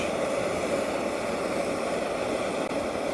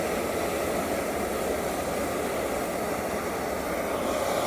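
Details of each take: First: EZ-Wok high-heat X7 outdoor wok burner on 0-30 psi regulator, main valve fully open after backing regulator pressure down to ¾–1 inch blue flames; even steady roar with no flutter, popping or surging, a normal recommended starting setting. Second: EZ-Wok high-heat X7 outdoor wok burner (1040 jets) on 0-30 psi regulator, main valve fully open; loud steady gas roar eases slightly as regulator pressure is backed off, blue flames lowered from about 1¼ inch to ¾–1 inch for a starting setting.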